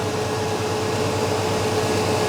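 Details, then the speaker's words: 1989 Chevy K1500, mechanical fan with a tight fan clutch, cold engine not run for about 16 hours, idling. A loud steady rushing roar as the fan pulls heavy air across the radiator while cold: excessive fan noise when cold. "all right so the fan is pulling uh quite a quite a bit of air across the radiator right now with the engine being cold that's not really what you want uh unless your air conditioning were running"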